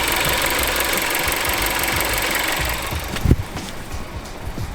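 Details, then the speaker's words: Used car checked at purchase inspection, bonnet open, no exhaust smoke: smooth, even idle with no knocks or ticks for about three seconds before switch-off; engine sounds good, normal idle. "Is there any knocks? Can't hear any knocks, so it sounds okay. Engine sounds good."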